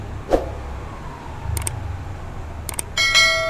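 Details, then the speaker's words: LG inverter AC indoor PCB, previously not powering on despite 230 V input because of a fault on the DC line, now cleaned and repaired: a few faint clicks then one clear high beep as the board powers up; normal start. "இங்கே பாருங்கள், on ஆகிடுச்சு."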